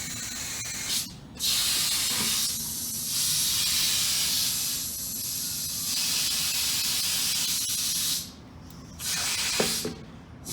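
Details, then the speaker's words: Air-operated ram being plunged down into a material pail with the vent loosened. Trapped head-pressure air hisses sharply and steadily out through the small vent hole, cutting in and out as the ram pushes. This is normal venting. "As we plunge it down into the pail, this will release the head pressure of air in the pail, and air will come out through this little hole here."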